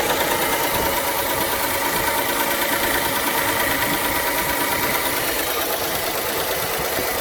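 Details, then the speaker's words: Dodge Charger/Chrysler 300/Magnum 3.5L V6 idling: steady light quick ticking on top from worn rocker arms, a common issue; fix is replacing both rocker arm assemblies (part 4892293AC). "so if your engine sounds like this it is most likely the rocker arms noise"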